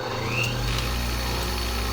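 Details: Blademaster skate sharpener, 1980 E6 induction motor (3.8 A, about 1/3–1/4 hp) with run and start windings; the start winding disconnects once the rotor is up to speed. Steady even hum with low drone, no knocking or rubbing: healthy normal running.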